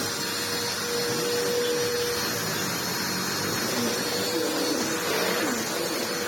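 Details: Ewbank Motion EW3001 corded upright vacuum after service, bottom refitted, on a rug: steady even motor roar, faint constant tone, brush sweeping; running normally.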